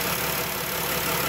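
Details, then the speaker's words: 3.6L Pentastar V6 van at idle after replacing the camshaft to cure rear-bank (bank one) rocker-arm ticking, refilled with 5W-30: smooth, even idle with no valvetrain tick; repair successful. "But I don't want this video to be long, but Victor, here you go, man. That's how one should sound."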